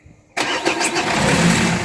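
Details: Renault Scenic 1 1.9 dCi diesel, first start attempt after fuel filter replacement and bleeding. A sudden loud burst as the starter turns and the engine tries to catch but doesn't settle into idle; fails to start.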